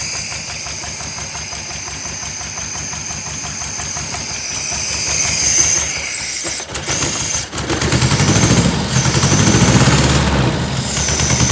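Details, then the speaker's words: 1976 Porsche 914 VW Type 4 2.0 fuel-injected engine on test stand after 30 years in barn: lumpy running that surges and stumbles with a hissy edge; sounds like a big vacuum leak, fuel leak also seen. "definitely sounds like a big vacuum leak and i'm seeing another fuel leak already uh we're gonna have to fix that"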